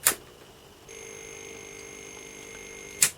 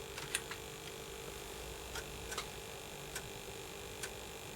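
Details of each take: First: Early Atari ST after a motherboard recap: sharp click, a thin high steady tone for two seconds, another click. The keyboard click is now audible where it was silent before; one replaced capacitor is suspected as the fault. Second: Early Atari ST (not STFM) after motherboard recap and TOS ROM upgrade, booting a game from an external floppy drive: a quiet steady buzz with a thin high whine and scattered soft ticks on the audio output, resembling RF noise. Cause unclear.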